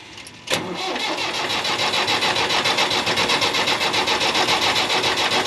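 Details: Engine cranked at full throttle: starter whirs in a steady rhythm of about four beats a second, but the engine never catches; cranks, no start.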